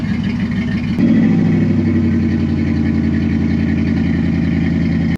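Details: 2004 Dodge Ram 1500 SLT: steady, even V8 idle with smooth low rumble and no ticking from the front, so timing chain seems fine despite a mechanic's claim; cam position sensor code cleared, sensor replacement planned if it returns.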